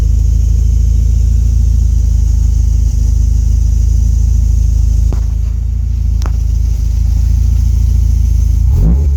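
Deep low rumble with an uneven pulse near four per second, the idle hunting and loping rather than holding steady. Cause suspected, not confirmed.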